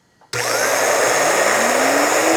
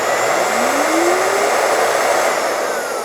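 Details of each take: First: Dryer universal motor on the bench with the carbon brushes reinstalled, before the commutator is cleaned: a loud rising whine with a rough, crackly hiss. Big sparks were seen; the brushes are bouncing on the commutator, while bearing play seems minor. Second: Dryer universal motor on the bench after the brushes were reseated: a loud, airy roar whose whine drops smoothly as it coasts down, leaving a faint residual rumble. Much better than before; brush bounce on the commutator is reduced.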